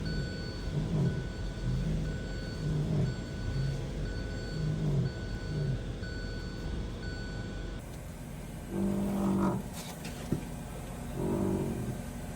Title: Autotech Tips❗️❗️ Creaky/Squeky Noise when turning Left or Right.